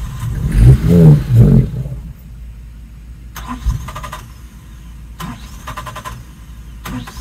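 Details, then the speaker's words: 1996 Suzuki Every van after fuel pump replacement, choke on: cranking bursts catch into a brief rough run for about a second, then die back to clicks; fuel-starved because the tank was empty. "all right so still no good let's uh get this battery on the charger all right we're going to give this one more shot without the battery because I realized that the tank didn't have any gas in it"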